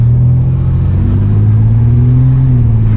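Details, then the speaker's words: 1992 GMC Sonoma GT with 4.3 L CPI V6, road test during work on an idle surge issue: deep, even rumble climbing smoothly with no bog, hesitation or misfire; engine pulls strong and healthy. "beautiful feels great feels strong yeah no it's all right"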